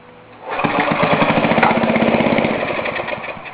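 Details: Ariens snowblower with new fuel line and fuel cutoff, primed, choke on, half throttle, pull-started: a few pulls, then catches and settles into steady, even firing about four beats a second; normal cold start.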